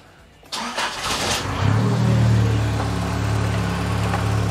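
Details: Nissan 200SX turbo being inspected, running in limp mode: brief crank, fires, flares and drops into a smooth even idle with steady low hum, no turbo spin heard; runs fine.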